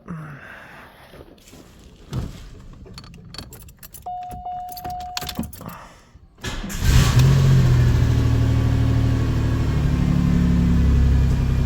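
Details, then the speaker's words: Rebuilt Buick 3800 Series 1 engine, cold start after overhaul: steady idle with quick, even ticking about three per second from a known exhaust leak at the donut gasket. "I do have an exhaust leak on the doughnut I got to fix but I'll do that at work when I get on the lift so let's fire this thing"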